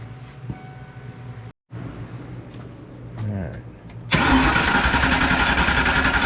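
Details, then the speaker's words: Fox body Mustang 5.0 project car cranking with fuel pump jumpered on: starter spins engine at an even, steady rhythm but it never fires; cranks but no start. "but with jumper the fuel pump it comes on but i still wouldn't start"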